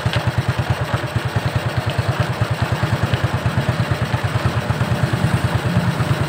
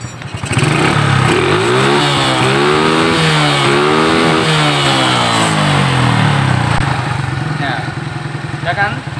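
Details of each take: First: Suzuki Shogun 125 single-cylinder motorcycle at low idle: irregular knocking that comes and goes, worst at low rpm, unlike a steady rod knock; cause a loose nut rattling inside the clutch cover, no con-rod replacement needed. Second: Shogun 125 motorcycle after tightening a loose, shaking part that caused a rattling knock like a rod knock: revs rise and fall with a clean, even note and no knocking, even at low speed; no replacement needed.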